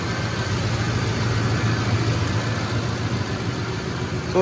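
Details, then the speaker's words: 2007 Ford F-150 5.4L 3V Triton at cold idle after timing chain, guide, tensioner and cam phaser replacement: steady, even hum with no rattle or ticking; only a slight exhaust leak at the manifold or donut gasket. "it actually sounds really good in person I noticed during editing on that last time I had it running it sounds kind of it sounds like it's got a click into it in the video but here in person it does not"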